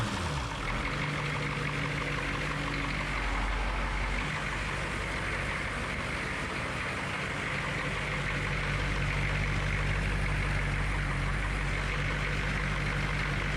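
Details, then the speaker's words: HMMWV M998A1 with 6.2 diesel, during restoration: steady, even diesel clatter at idle with a firm low rumble and no puffing or ticking; sounds healthy after the exhaust leaks were fixed. "it sounds much better than it did without all the exhaust leaks"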